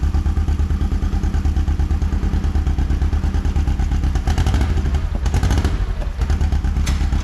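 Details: John Deere Gator XUV 590M after replacing a grinding, non-engaging starter: engine catches and settles into a steady, even low chug of about three beats a second, with some clatter nearby; running normally.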